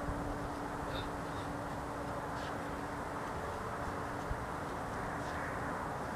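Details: Loud strange idling noise at night, heard for several cold nights, said to be neither a generator nor snoring: a steady low drone with a faint constant tone and possible whistling; source unknown.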